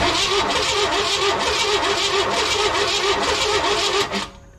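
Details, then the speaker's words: 1998 Chevy C1500 truck: choppy uneven cranking, fires briefly with a rough catch then dies after about four seconds; owner suspects loosened torque converter or an engine down on health. "well it cranks and it fired off for just a second but uh that did not sound good"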